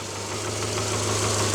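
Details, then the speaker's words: 2009 Subaru Forester after an engine rebuild, first run: steady low idle with good oil pressure and a faint raspy, puffing edge from a suspected small exhaust leak. "i got it running and you can hear it idling got a little bit of an exhaust leak but it's running"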